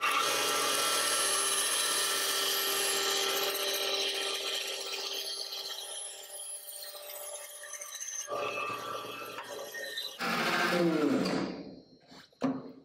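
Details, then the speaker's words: Wood-cutting band saw with the table tilted, making compound angled and curved cuts: smooth, even hiss of the blade through wood, then quiet as the cut ends; normal, healthy cut. "as you can see, you can get some pretty dynamic shapes pretty quickly, creating compound angles, compound curves on the bandsaw."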